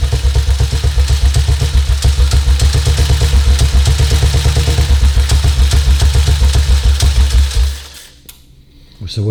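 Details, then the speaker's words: 1952 BSA M21 single after sorting a green wire found tucked down inside, idle being set by ear (tried 36 vs spec 38, settled at 28): steady even thumping about four beats a second, no misses, then shut off; much smoother idle. "28. Leave it at that, I think. Yeah. That's much smoother on the other."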